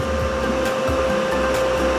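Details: Lakoni 900 W welding machine, reported to power on but give no arc, being serviced: steady fan rush under clean, constant mid-pitched hum, no crackle or buzz; machine powers up and runs normally while voltages are checked.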